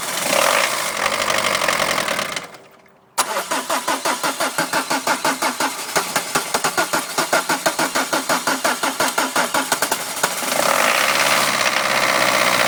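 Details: Peugeot 306 with XUD diesel, injection timing out: long slow cranking at about three pulses a second with smoke before it finally catches and settles into a rough clatter; hard starting.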